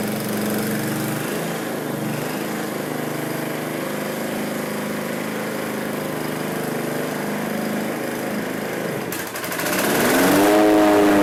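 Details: Kawasaki FC150V engine on a John Deere 14SE mower, running with no load after its carburetor pickup tube was cleared of black tar-like deposits: speed dips and swings back up unprompted, hunting; owner says it doesn't hunt under blade load.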